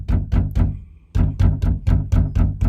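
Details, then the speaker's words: Mercedes E-Class W212/S212 door: bass beats from music each followed by tinny metallic buzz inside door, caused by loose door reinforcement brace rattling; also heard when slamming the door; the brace needs reinforcing. "Wenn ihr das Geräusch habt, dass die Tür so eklig klappert, so. Hört ihr das? Dieses metallische Nachklappern."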